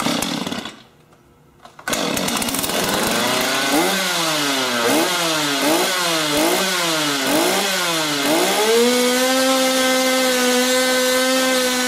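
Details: STIHL chainsaw (MS250-type model) after oiler replacement and reassembly: fires, blips cleanly about four times, then holds a steady high buzz with crisp throttle response; runs healthy.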